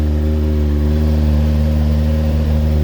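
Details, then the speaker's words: Rebuilt Kawasaki Ninja motorcycle, started with choke on, cold: an even, steady multi-cylinder hum with no knocks or misses, quiet intake and no smoke; running nice and smooth, normal running. "oh look at that on the bottom lovely that sounds good sounds really good actually very nice and smooth"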